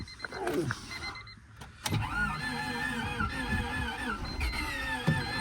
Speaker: oh I don't like the sound of that I do not like the sound of that at all that sounds to me to me that sounds like either an engine that's uh out of time or low compression